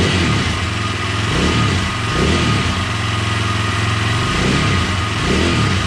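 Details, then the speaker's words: KTM 620 LC4 single, first start after a stator replacement. Steady thumping that rises and falls with light revs, firing evenly with no misses or rattles; running pretty good. "so I think we got it she's a running sounds like it's running pretty good"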